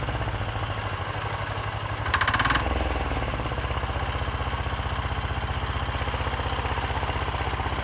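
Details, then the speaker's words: Chinese 10 hp Yanmar-clone single-cylinder diesel on its first start, freshly mounted to a frame, idling with an even, low, steady thump of about four beats a second; runs smoky, super smooth and healthy, though it vibrates the rear fenders. "all right guys look how low smooth this is super smooth everything is working good"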